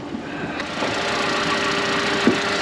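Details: Engine shows water pumped out and is suspected to need a new head gasket, yet it idles with a light, even whir and faint steady hum, no knocks or rattles, quiet and healthy-sounding.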